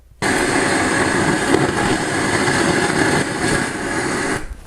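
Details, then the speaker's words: Vintage 1970s–1990s integrated amplifier into test speakers, just switched on with no music: loud steady hiss and rushing bursts with crackling on the left channel; high DC offset seen by woofer moving. "now that's left Channel noise that absolutely cannot tolerate and also the I you cannot see it but I can see the wolf kind of moving in out that means a high high level DC offset"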